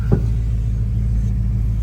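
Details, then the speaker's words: Plymouth Road Runner with coilover front suspension, reversing: low steady engine rumble with two sharp single clunks about 1.5 s apart; suspension clunk that seems to happen only in reverse, cause unknown. "what's weird is like this thing makes all sorts of noises in Reverse there like little clunks and bangs"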